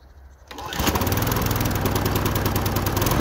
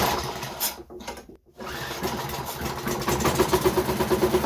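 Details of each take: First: Wolf TB46B lawn mower, household-clearance find long retired for not starting, test run after fuel turned on and carburettor float bowl filled: catches and settles into a steady, even single-cylinder drone with no misses; running fine. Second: Wolf TB46B lawnmower with fuel, oil, spark and compression all confirmed: after fuel is poured straight into the carburettor it runs rough for seconds, then dies once that fuel burns, repeatedly; suspected fuel-supply problem.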